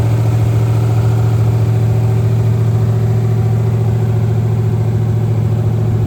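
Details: Monte Carlo SS V8 after engine rebuild, first fire-up, stock cam, about 300 hp, in neutral; deep even idle with steady firing beat, no knocks or ticks; runs smooth, normal idle.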